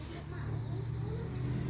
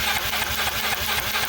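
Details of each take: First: Yamaha Mio M3 scooter that would not rev, stuttered and lacked power, after replacing the faulty ECU: engine swells smoothly to a clean rev and settles to steady idle, no stumble or popping; normal revving. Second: Yamaha Mio M3 scooter that bogs, misfires and lacks power. On a spark test while turning over, uneven crackling snaps about five a second show the spark dropping out. Intermittent ignition spark, traced to a faulty ECU.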